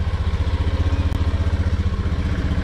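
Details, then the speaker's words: Sniper 150 motorcycle after reset and tuning done the day before: even, steady single-cylinder idle with regular low pulses, no stumble or dying; engine speed and idle now okay. "Okay na yung engine speed niya, yung minor niya. Okay na yung pinaka-idle niya."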